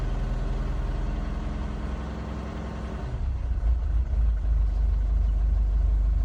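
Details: Mercedes 651 diesel engine idling with an uneven, lumpy beat that shifts partway through; rough idle, cause not evident.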